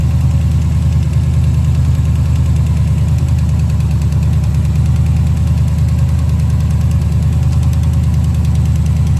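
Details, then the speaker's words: 1970 Chevelle after big-block swap, hot day, new oil filter: heavy big-block idle with light quick ticking keeping time with engine speed; rocker deliberately left loose, tapping; owner unsure of separate knock. "You can hear it tapping right now because I'm leaving it loose."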